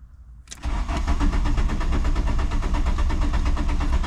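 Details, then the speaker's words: VW Mk2 Jetta cranking with a fading battery: steady four beats a second, even compression pulses, never catches; fuel being primed through, owner suspects battery needs more charge or a jump, not confirmed. "I think the battery might need some more juice to it maybe actually jump it but it's close"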